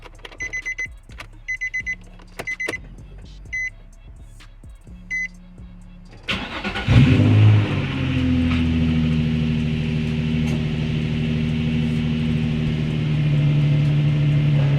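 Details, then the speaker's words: Nissan 350Z (G35 platform) first start after installing a new Optima Redtop AGM battery with quick-disconnect; after a few chimes a brief crank catches quickly and settles into a steady, even idle; healthy start. "well there she goes she started she sounds good"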